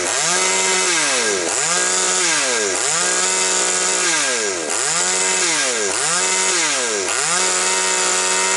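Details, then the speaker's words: Chainsaw previously with hunting revs and stumbles, carburetor not responding, after richening mixture: blips from idle to high revs every second and a half, picking up crisply without stumbling; runs well. "Ну, бачите, працює добре."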